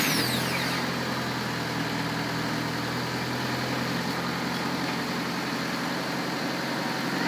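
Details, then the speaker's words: 1996 Honda Civic after fitting a brand-new starter and replacing a fried power cable: engine cranks, catches straight away and settles into a smooth, steady idle with an even low hum, no misses or knocks. "yes could see it's time to clean perfectly started up real fast"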